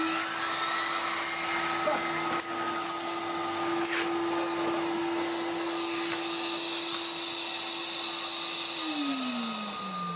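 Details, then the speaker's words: 1990s Numatic BX190 (BX.BX) vacuum with original turbo brush and uncleaned filter: steady roar with mid-pitched brush hum that sags and falls away as the brush jams on a piece of wire it picked up. "Oh my goodness, we jammed it with a bit of flipping wire and it picked the first bit up. How annoying."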